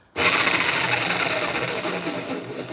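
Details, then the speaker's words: Baurm-AG rotary hammer found at the dump, first power-up test on trigger pull: steady, strong motor whir with rapid, even hammering rattle throughout; sounds strong, running normally. "there you go. That sounds strong as well."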